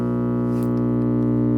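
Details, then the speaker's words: 1951 General Electric model 404 radio at first power-up, tubes lit, audio output tube and rectifier working: a loud steady low buzz rich in overtones, with the case vibrating. Mains hum from failed filter capacitors. "okay there's a ton of hum there the whole case is vibrating"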